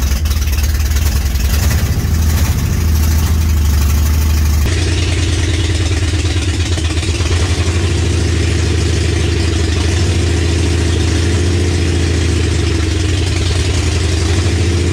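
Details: 1965 Mercury Comet with a 5.0L V8 and T5 five-speed, first start after the build, timing checked, on open headers. Loud, deep, even burble at a steady idle with no misses or knocks; runs cleanly.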